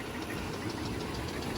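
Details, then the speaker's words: 2001 Oldsmobile Bravada at idle, oil full with oil pressure present: a steady, hard knock each revolution deep in the block, plus a metal-on-metal squeak, and it seems about to lock up. A bottom-end knock is suspected, needing a motor; unconfirmed. "Yep. It sounds like it's not happy in the bottom end."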